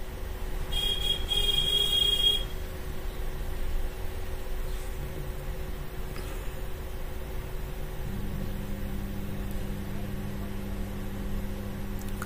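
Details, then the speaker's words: Impex home theatre amplifier: steady low mains hum from both the bass and speaker outputs; two of its three amplifier ICs are damaged. "देखिए friend यहां पर back side में base का भी homing आ रही है और speaker का भी होमिंग आ रही है तो यहां पे दो आईसी इसमें डैमेज है"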